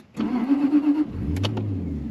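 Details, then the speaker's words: Jaguar XK8 V8, previously a no-crank no-start. Starter whirs about a second, then it catches and settles into an even, rising idle. Clean start, and the car then moved under its own power. "You hear that crank, you hear it starting, and I've managed to move the vehicle under its own power."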